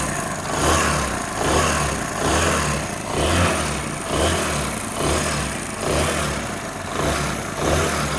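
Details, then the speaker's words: Motorcycle engine just after starting, noise appearing after standing two to three hours: loose, surging clatter about once a second over the exhaust; suspected timing chain or tensioner rod, not yet confirmed. Timing chain rattle. "अमूमन यह फाट जो है timing चैन का होता है या फिर टशन रड का होता है"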